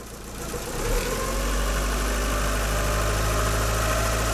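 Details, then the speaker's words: Abarth 500, roughly 125–150 miles after an alternator replacement, at steady idle. A faint, constant whirring tone comes from the engine bay and has worsened over the last 100–125 miles. It is not the A/C compressor, which is not engaged. Cause unknown. "come on as you might have uh heard picked up Etc we've got a little bit of an issue and this is something like I said this was fine 100 miles ago 125 miles ago and it started to get worse and worse and worse today"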